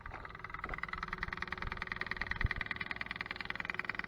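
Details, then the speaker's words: Kubota SVL90, key on, engine off, fuel filter fully drained and not pre-filled: rapid steady electric ticking with thin high buzz as the lift pump refills the filter and bleeds the system; normal priming. "Alright, bleed these things. Let's turn the key on. Hear that, the lift pump running there."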